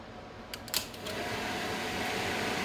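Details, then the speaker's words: 1979 Lotus Esprit with a new wiring harness: a couple of sharp relay clicks, then a steady airy rush as the relay-switched cooling fan spins up and holds speed. The fan is working normally. "All right, it's running through a relay. I heard the relay click. Fan's cranking."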